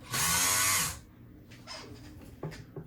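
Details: Kenmore 158.523 sewing machine on the pedal during diagnosis: a brief high whirr as the motor spins freely, with no needle clatter. The motor runs but the mechanism does not turn. The clutch/stop motion was checked and did not explain it.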